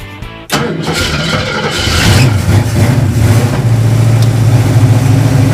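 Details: 1973 AMC Hornet bought off Craigslist, starting after fuel pump was heard priming: starter whirs briefly, engine catches and settles into steady even rumble, no misses; 60 lb oil pressure.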